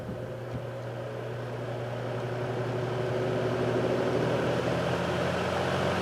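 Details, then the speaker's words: Vintage General Electric F15W13 box fan with a three-amp shaded-pole motor, started on high and drawing almost five amps: steady low mains hum with an even air rush that builds then holds smooth, no rubbing or ticking; healthy fan. "I'm going to start on high and show you how many amps this thing pulls you up to speed it's quite impressive almost five amps"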